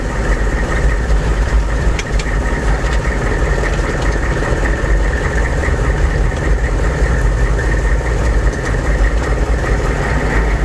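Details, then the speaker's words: 1998 AM General Hummer, 6.5L turbo diesel, stopped and slowly brought to about 1,000 rpm: a faint thin whine over the engine rumble. It is tied to rpm, not steering, and is most noticeable when letting off the gas as rpm falls. "all right so now I'm at a stop and I'll slowly uh get it up to about 1,000 RPM and you can hear that noise again it sort of has this like kind of a whine to it"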